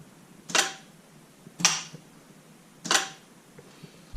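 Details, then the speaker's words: Jeep engine-driven onboard air compressor switched from an in-cab switch wired through the pressure switch to the battery: three sharp, crisp clicks over a quiet background as the compressor clutch pulls in cleanly; normal clutch engagement. "so there's a wire that comes from the pressure switch that goes to that and then there's a wire that goes from that up to the battery you can actually hear the clutch engaging whenever you hit the"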